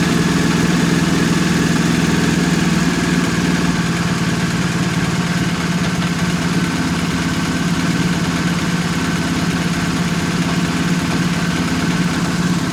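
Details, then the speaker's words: 2020 BMW R1250R after replacing the left-cylinder timing chain tensioner with the longer 2023+ type (19mm head), which had ticked loudly when warm: steady, even idle with smooth low throb and no ticking; normal idle. "Let's listen to the sound now. What? It's worked. So the ticking sound is gone."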